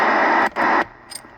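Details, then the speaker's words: Linear power amplifier tested on dummy load: loud rushing static cuts in twice then drops to near silence; receiver should stay quiet, amp is picking up noise, source not found. "So it should stay quiet like that when you turn it on. You shouldn't hear anything. We're picking up something from this thing. You know, that's not good."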